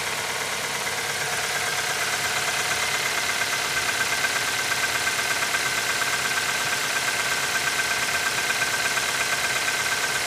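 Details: QG18DE engine cold start at -15 °C idling with a sharp, fairly regular tapping about three times a second over the engine; cold knock, cause unclear.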